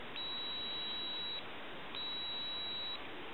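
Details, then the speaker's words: AT&T 5500 cordless phone base unit repair: multimeter continuity test across drawn-on conductive board traces, two clean high-pitched beeps over hiss showing this trace conducts; darkened traces elsewhere have lost conductivity and need repair. "a high frequency kind of little noise. And so what I'm going to basically do is I'll show you. I get conductivity here."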